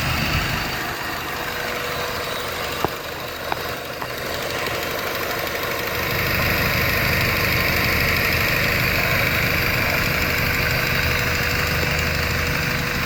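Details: 1993 Honda Civic EG8 with D16Y1 VTEC swap after replacing connecting rod bearings: even, steady idle with no knock or low idle drop, oil pressure light off; normal idle.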